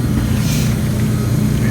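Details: 1954 Mayflower oil-fired forced hot air furnace, last serviced 2012, new oil line and tank: even, constant low-pitched rumble with no ticking, grinding or whine; a healthy oil burner firing steadily.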